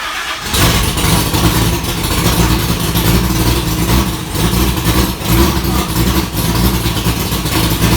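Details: 1965 Ford Falcon race car V8 with tight headers, first start after wiring, in park: starter catches within half a second into a loud, lumpy, steady idle with light blips; normal start and idle.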